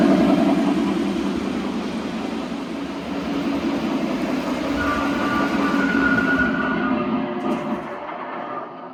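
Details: Lionel TMCC S1 model locomotive from about 2000-2001, original second-gen Odyssey board, after gearbox maintenance and repairs, pulling heavyweight cars: loud, steady run with even rail clicks and smooth motor drone; normal running.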